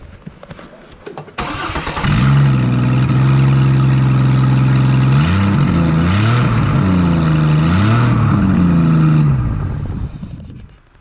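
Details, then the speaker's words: 2004 Chevy Trailblazer 4.2 cranks and runs loud and raspy, exhaust puffing from open port with oxygen sensor removed; suspected exhaust leak, burning smell, owner suspects cracked exhaust manifold needs replacing. "I couldn't tell whether or not this thing was leaking but I got a feeling it needs another exhaust manifold"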